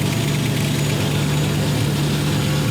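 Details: V8-swapped Ford Capri at idle with a big exhaust leak at the back and side of the 'pump' (as stated). A loud raspy hiss and chuff sits over the low rumble. Smaller leaks are also known; a new exhaust is to be built.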